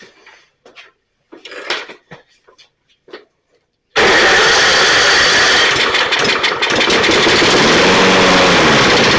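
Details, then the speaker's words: Toro 22-inch Recycler self-propelled mower, pull start previously seized and freed with oil in the cylinder, crankcase overfull with oil; catches abruptly and runs only on starting fluid, not getting fuel; carburetor problem suspected, not confirmed. "so the good news is it runs the bad news is it's not getting fuel unless I spray stuff into it"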